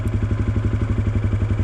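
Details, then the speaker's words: Dirt bike in first gear, clutch let out slowly: quick single-cylinder thumping at low idle, the revs sagging slightly as the clutch starts to bite; the normal clutch engagement point. "okay now I can hear the RPM starting to drop so this right here is the engagement point"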